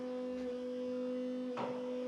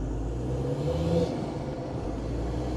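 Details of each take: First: Land Rover Defender Td5 110 with VNT turbo, before tuning, heard close to the fuel pump: steady high electric whine at a fixed pitch; typical of a noisy non-genuine fuel pump. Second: Land Rover Defender Td5 110 diesel with CR VNT race spec turbo, under load on road test: faint rising turbo whistle at low revs, boost now coming in lower than before tuning.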